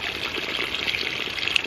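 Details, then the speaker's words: 1-inch ram pump restarted after sitting through winter, supply pipe from a bucket: splashy, irregular gurgling and sputtering as air is purged from the supply pipe; flow rate rises once the air is out. "so for the next minute or so it's going to be gurgling as it pulls more water through and pulls the air bubbles out of here"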